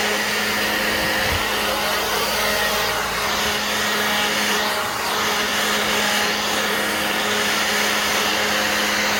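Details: Black+Decker 20V cordless blower on a new battery, full output: constant air whoosh over unchanging motor hum, no sag or pulsing; running healthy.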